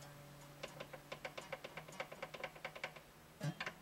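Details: Guitar with fret buzz: a fret rocker teeters with crisp light clicks, about six a second, on the bass side of one fret; that single fret sits high, higher on the bass side.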